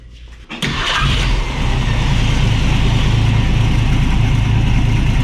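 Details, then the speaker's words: 1965 Ford Mustang straight-six with Autolite 1100 carburetor, choke disengaged, base screw settings, timing at six degrees BTDC before adjustment; quick crank, catches at once, settles into steady even idle around four beats a second; runs great after idle screw fix. "see how it runs uh the thing ran great got my timing set"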